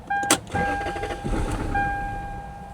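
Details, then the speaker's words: 2000 Lexus LS400 abandoned 10 years: brief crank and catch, dies within a second even with throttle, dash chime steady; owner suspects immobilizer issue, no security light seen. "Even if you give it throttle, dies. It's like it starts for a second and dies."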